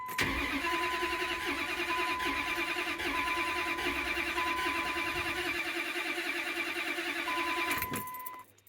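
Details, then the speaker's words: 2005 Dodge Ram 4.7L with constant cylinder 3 misfire despite new coil, injector and plug, cranking in clear-flood mode: steady starter whir with uneven cranking beats, no firing; dead miss pointing to one cylinder with very low compression. "oh yeah we got a dead miss here guys i can see the dead miss"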